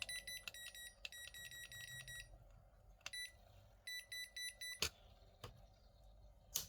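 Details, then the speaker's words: Toshiba rice cooker converted from 100 V to 220 V, fuse found blown, power rail around 5.8 V: repeated bursts of rapid high beeps with short gaps when the pot is lifted out; error persists, possibly voltage fault, cause unclear; continuous error beeping. "Nếu mà nó không có hiện tượng tít tít tít nữa là là đã ok nhá. Ồ, vẫn đang lỗi ở đâu rồi?"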